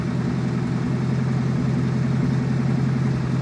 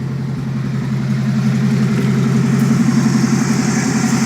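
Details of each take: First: Chevette fitted with Keihin CV motorcycle carbs, after reseating intake runners to fix vacuum leaks; dead cold start, low even idle with slight rhythmic waver, AFRs acceptable, close to target: slightly unsteady cold idle. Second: Chevette fitted with Keihin CV motorcycle carbs, after reseating tilted parts to fix vacuum leaks; dead cold start idle, steady slightly lumpy pulse holding speed without stumbling, a little wobbly but acceptable AFRs: normal idle.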